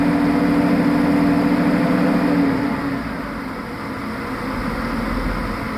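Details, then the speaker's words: After the fan clutch was replaced with a new one, there is a strong, even rush of air over the running engine and a brief hum that fades. It pulls noticeably more air than before, so the engine cooling fan is working normally. "It sounds like it is doing its job. I can hear it. Well, and that fan it's I could actually tell the difference of the air volume that was coming across cuz it felt I mean it just sounds like there's more wind."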